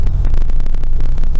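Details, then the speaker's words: 2000 Mitsubishi TJ Magna 3.5 V6 with suspected ignition fault: rough, lumpy idle with a cylinder missing; in the injector cut test it worsens when cylinder one is cut, so cylinder one fires; cylinder three shows no change. "so you can probably hear that it's running quite rough and there's a cylinder missing"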